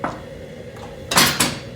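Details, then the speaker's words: Squaring shear (max 16 gauge sheet metal) normal stroke: quiet pause, then two sharp metallic clunks a quarter second apart as yellow hold-down drops to clamp material and blade cuts. "because this yellow blade will come down first and hold that material in place while you go ahead and cut it"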